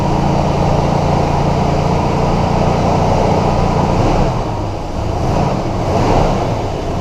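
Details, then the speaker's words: 1977 Ford Thunderbird V8 just after fixing an exhaust leak between the cat and the pipe with muffler mud and a gasket: an even, steady idle with a smooth low rumble and no ticking or puffing, running quiet. "so it ran quite as a mouse which is good"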